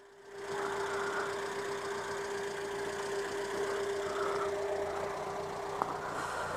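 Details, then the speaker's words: Renault 11 GTL at idle: steady airy rush rises over the quiet idle and holds even with a faint steady tone; the radiator cooling fan cuts in properly. "on entend via le ventilateur se déclenche très bien"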